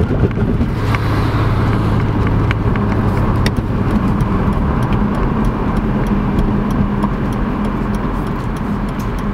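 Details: BMW E46 M3 straight-six at idle: lumpy, uneven idle with irregular stumble, misfiring on all six cylinders because the pre-cat O2 sensors were swapped between banks.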